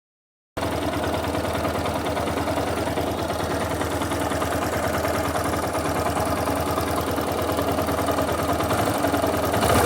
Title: Yamaha Fazer 250 11/12 14 mil km barulho no motor,o que pode ser?